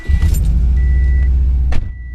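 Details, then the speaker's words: Subaru boxer engine at startup and idle with cylinder 3 misfire (P0303) from a failed ignition coil, running on three cylinders: deep, lumpy, uneven throb. "can't wait to get this misfire fixed after work so start this bum boxer engine up three cylinders ready"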